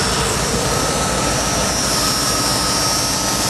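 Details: 1996 Dodge truck, 5.2 L V8, after spark plug replacement, fixing a shorted coil wire rubbing the exhaust manifold and clearing misfire codes P0300/P0301: a steady, even low throb under fan and hiss, no stumbles, idling smoothly.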